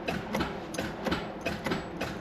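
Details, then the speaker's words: Freshly rebuilt Mazda RX-7 FC 13B naturally aspirated rotary, first start trying to build oil pressure on a partly charged battery: starter drags it slowly, about three heavy pulses a second; slow cranking from weak battery, fails to start. "It's not strong enough. No, it's not charged enough."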